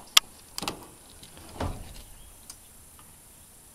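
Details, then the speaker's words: Solar-powered electric fence charger running off truck-bed batteries, sharp snapping pops about once a second over quiet outdoor background; indicator light no longer shows but fence pulsing normally. "it doesn't really um show the light anymore but it pops nicely so that's working"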